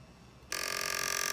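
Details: PS2 disc drive: after brief quiet, harsh, steady high rasp starts abruptly as the drive scrapes instead of spinning the disc, attributed to warped parts from repeated disc insertion.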